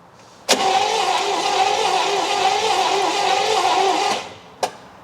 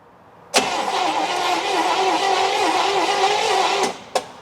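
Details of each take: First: 1964 Buick Electra engine, seized after sitting 25+ years and just freed, cranks evenly about 3.5 seconds with plugs in but never fires; spark tester shows no spark, 12.1 V at coil, points suspected dirty or capacitor bad. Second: 1964 Buick Electra engine, sat 25+ years and seized, just freed. Cranked with the plugs in using a starter button, battery on the charger. Even, healthy cranking for about three seconds with no drag. Spark test afterwards showed no spark.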